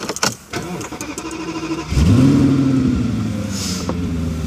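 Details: Audi S8 after intake manifold rebuild: short crank, fires, revs briefly and settles into a steady even idle, no engine warning light, no misfire or air leak; normal start and idle.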